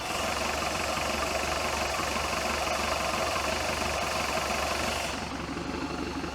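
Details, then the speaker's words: 1976 Mercruiser 120hp with acceleration dead spot, microphone about 2 inches from the valve cover after valve adjustment: even, steady idle hiss, no ticking or tapping; valvetrain quiet and healthy, carburetor found slightly off. "I'm happy with that just rolls right on and gets after it"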